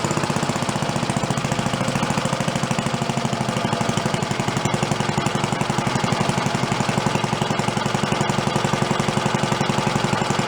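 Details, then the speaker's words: Roughly 80-year-old Briggs & Stratton engine on a gas water pump, sat 50-60 years and rebuilt, originally set up for about 3,300 RPM, here held to slow idle with a throttle spring; crisp, even single-cylinder put-put at about four beats a second, running healthy. "Going pretty slow. Gonna stay going. Good. It gets quiet."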